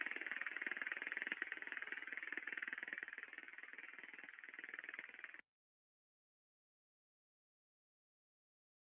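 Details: Ultrasound recording of a conveyor bearing at 238 RPM: steady hiss with sharp, regular clicks about four a second, the impacting of a damaged rolling bearing.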